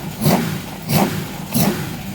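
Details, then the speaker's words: Race car after valve clearance check, oil and filter change, first start, battery 12.3 V, not yet run up to temperature: three sharp throttle blips about two-thirds of a second apart, each returning cleanly to idle; normal revving. "So good news, it runs. Happy days. Fingers crossed it'll run up a temperature, no problem."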